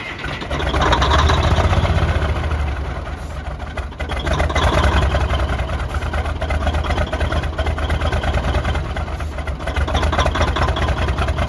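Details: Kenworth K100 cabover with a small-cam 350 Cummins and 16-speed, last run about five years ago: heavy, rough, surging cranking. It won't pick up fuel from the tanks and only runs on ether.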